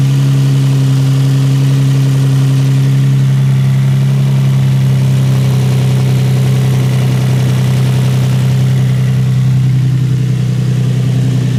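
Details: Infiniti G35 V6, just after replacing spark plugs: deep, steady idle holding an even beat throughout, with no knock, misfire or blow-by; runs smoothly and healthy.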